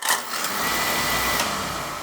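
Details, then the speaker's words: Beckett oil burner on a WHB Smith boiler with lockout trips, dirty parts found: igniter transformer sparks continuously, not shutting off after ignition; steady crackling hiss with a thin high buzz; transformer suspect, needed for cold-morning starts. "this one's constantly sparking this it's actually designed to shut you know some controls will will run once once it fires it shuts the spark off but this this control will run it all the ti"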